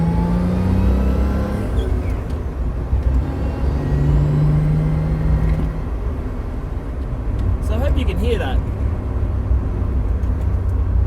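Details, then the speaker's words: 1977 Toyota Celica RA28 heard from inside the cabin while driving: a thin, high-pitched whine under road rumble grows loud on throttle and eases when cruising; gearbox and diff whine suspected. "It's quite high pitched. Every time I'm on the throttle a little bit, it just whines like crazy. When I'm cruising, not so bad, but definitely when I'm on the throttle."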